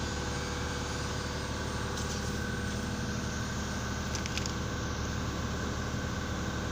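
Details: Mercedes S500 (2000-2006) previously cranking but not starting, with fuel pumps found bad and low pressure: steady even idle hum with no knocks, misses or stumbles; running smoothly.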